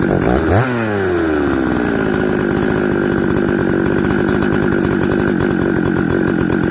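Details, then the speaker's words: Husqvarna 266XP chainsaw, hard to start after shutdown, mixture leaned slightly: fires and drops to a fast, blubbery, uneven idle that doesn't clean up; running flooded, easy flooding and hard starting from a bad aftermarket carburetor. "i'm gonna lean this thing up a little bit okay now let's see if it starts see we flooded it a little bit"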